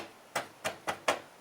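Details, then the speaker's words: 2022 Tesla Model 3 aero wheel cover refitted with foam keeping the standoffs off the rim: five clean dull taps dying away at once, no buzz or rattle; cover sits firm, rattle fixed. "that rattle isn't there now. It's got that bit of give that the foam stops it from those little standoffs from touching the rim."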